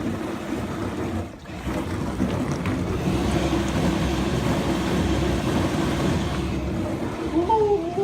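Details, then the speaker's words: Frigidaire dishwasher after replacing the circulation pump (154844101/154844301), no leaks; steady, even low hum of the pump running strong, water spray starting near the end, normal circulation pump running. "Ooh, I think we got it. Thing is humming. Ooh, we're spraying now."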